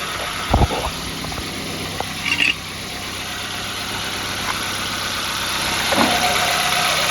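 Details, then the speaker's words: 2000 Nissan B15 after service: new oil and filter, iridium plugs replacing regular ones, valve cover gasket cleaned and resealed; not yet at temperature: a couple of knocks at start-up, then smooth, even idle, no misfire or ticking; healthy. "start it right up and she sounds like a dream come listen to"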